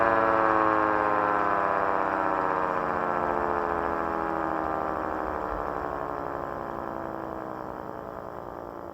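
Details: 1/3-scale 3T22A siren's tone slides steadily downward as it coasts down. The wind-down is quicker than normal because the motor arrived with badly worn, noisy bearings; a replacement motor is planned.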